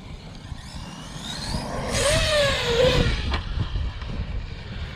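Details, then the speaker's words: Traxxas Sledge RC truck, bone stock except a 15-tooth pinion: a rough electric whine rises and falls with throttle over a buzzy drone, even when driving slowly. Owner suspects the motor is done, possibly a worn bearing. "I need to figure out what that noise is. Oh. Just the motor doesn't even sound good, does it? No. Yeah, I'm pretty sure his motor's done."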